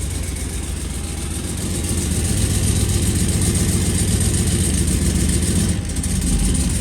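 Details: Turbocharged sleeper build, fresh start with half the spark plugs left unplugged: a deep, lumpy, uneven loping idle, running on only four cylinders; a misfire from the dead cylinders.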